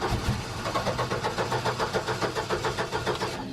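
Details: Upright AB62RT boom lift that has sat unused for over a year: starter chugs in a steady rhythm, about three or four turns a second, engine never fires; cranks but won't start. Bad fuel suspected.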